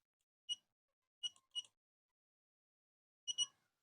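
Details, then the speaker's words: Greddy vacuum gauge fitted on an old Honda CB150R, with the low-battery alarm set at 11.2 V: short, high-pitched chirps in an uneven group of about five over four seconds, sounding as the battery voltage drops to 11.2 V. "Jadi jika voltase aki itu sudah 11,2 di sini ada perhatian ini akan bunyi"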